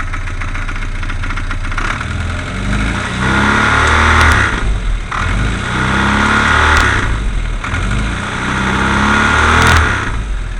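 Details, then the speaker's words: 1380 petrol engine idling and revving with good oil pressure: heavy regular knock coming from the flywheel housing area. "The noise is coming from the flywheel housing in there."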